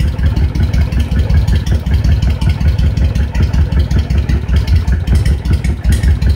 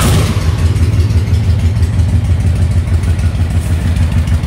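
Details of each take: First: Honda VTX 1300 V-twin idling with the air/fuel mixture screw turned in to one turn: lumpy idle with uneven, skipping pulses; mixture too lean, causing idle stumble. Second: Honda VTX 1300 V-twin fully warmed up, idle turned down by ear before mixture adjustment. Low, loping thump at about two beats a second, steady and even with no clatter: normal warm idle.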